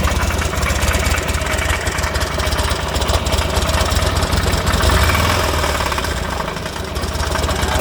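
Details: 2006 Buell Ulysses XB12X with 56,000 miles, just serviced (fluids, filters, O2 sensor, intake seals, fuel pump, bearings): the V-twin idles with an irregular heavy knocking about three times a second. Source unknown.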